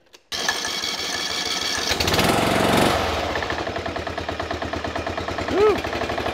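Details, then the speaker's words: Briggs & Stratton Intek 16 hp single-cylinder OHV engine just started cold on choke after carburetor replacement: low uneven idle with a hard rapping knock under the beat; pretty bad rod knock. "so that idle is definitely low and this guy's got a pretty bad rod knock"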